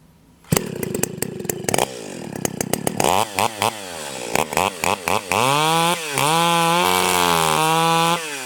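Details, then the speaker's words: Stihl 028 AVEQ chainsaw with an aftermarket pipe, high-speed jet tuned by ear in a log cut: clean high scream at full throttle in the cut, then a burbling four-stroke bark when pulled out; mixture set right. "okay there we go so that sounds amazing so as soon as I pull it out of the cut you can hear it do that that barking a little bit the changes sound"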